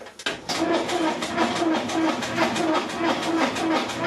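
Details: Whirlpool washing machine during spin: a loud, pulsing groan about three times a second from a worn gearcase (transmission); check whether the drum is actually spinning properly, and if not, inspect the gearcase.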